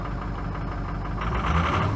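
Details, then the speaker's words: Ford F350 6.0L Powerstroke diesel after replacement with Ford reman injectors, cold weather, plugged in overnight, batteries fully charged: fires right up into a steady, even idle with a smooth low rumble and no misses or knocks; healthy. "was she fired right up oh that's nice"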